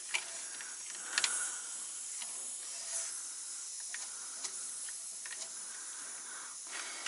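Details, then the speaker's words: Truck air system: a quiet, steady high hiss with faint ticks and clicks from compressed air escaping at a second leaking quick-disconnect fitting on a main line up in the front bumper. "I have found a second link this is up in the front end up in the bumper and it's another quick disconnect it's pretty much a mainline though"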